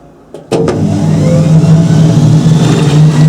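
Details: Hoover Spinarinse 3012A spin dryer from December 1968, after drain hose repair with silicone sealant, slight leak: click then steady low hum building evenly; normal spin cycle.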